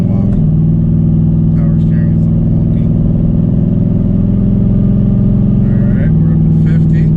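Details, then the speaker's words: 2008 Nissan Titan during front end rebuild, steady hum over the engine rising in pitch with the wheel held at full left lock; owner suspected, then confirmed, power steering pump whine from low fluid. "I think that might be power steering. I think I need power steering. Yeah, I need to check my power steering. I think that's where my issue is."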